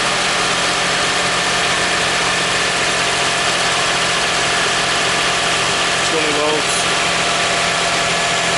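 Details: 2001 Toyota Sienna running at an even, steady idle with a smooth hum and no misses, knocks or grinding after a no-crank fault was fixed with a new starter; engine running normally.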